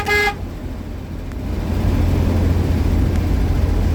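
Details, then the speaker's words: 1949 Chevy truck running 12 volts through a 6-volt horn and horn relay, driving in hot weather and traffic: one short, bright toot, then engine and traffic noise; the horn works normally. "That's 12 volts being put through a 6-volt horn and horn relay. As you can see, it works good."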